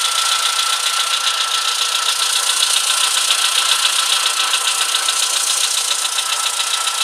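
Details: VW Polo Sedan with CFNA engine, cold idle: steady, fairly even light tapping about twice a second over a hissy background; cause unclear.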